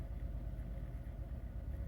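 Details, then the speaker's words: 2001 Chevrolet Monte Carlo LS idling after replacement of the radiator, both fan motors and the instrument cluster. Temperature gauge is rising and the check light is blinking. Low, steady rumble with no knocks, ticks or squeals. Normal idle. "Then we have our temperature start rising up, and our RPM basically is running good. Everything is running the way it's supposed to be,"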